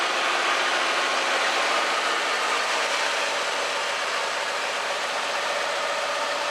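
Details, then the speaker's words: 1985 Chevrolet Scottsdale K10 4x4 barn find, running at idle: an uneven, slightly lumpy V8 beat over exhaust roar. Head gasket leak on the last driver-side cylinder; otherwise it runs well. "all right so now we we pretty much know that the thing that's wrong with it is that last cylinder on the driver's side has the head gasket issue other than that it seems to run pretty well"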